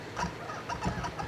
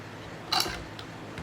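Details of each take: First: Kurzweil PC88 keyboard: quick chirpy squeaks, four or five a second, as keys are pressed, from dry key felts; treated with white lithium grease. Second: Kurzweil PC88 keyboard after a dab of grease on the squeaky key's rubbing spot: a few soft key thumps and clicks with no squeak or scrape, and the key action moves cleanly and quietly.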